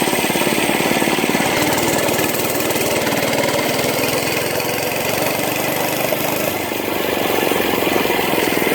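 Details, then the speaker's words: Monster Moto mini bike, small single-cylinder engine under riding load: fast, fairly steady buzz with an odd rough undertone; rider suspects the governor but is unsure of the noise. "Yeah. It's making like a weird noise. It might be the governor, something like that, I'm not sure. Yeah."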